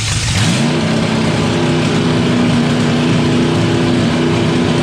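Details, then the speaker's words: Early-80s G-Body Malibu 305 (5.0 L) small-block Chevy on a run stand, earlier HEI distributor fitted, carb sat about 20 years: revs up to a strained, flat note, barely reaching 5,000 rpm; weak top end. "It can barely get 5,000 RPMs. This is going to be a terrible race car to do."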